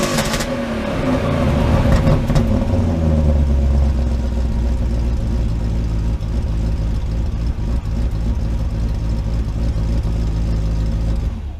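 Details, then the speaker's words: 1995 BMW 530i E34 V8 five-speed, first start after over a month sitting: crisp free-rev blips rise and fall cleanly back to a steady low idle, no clatter or misfire; running well. "not bad I don't hear much of a difference between the three liter and the four liter personally"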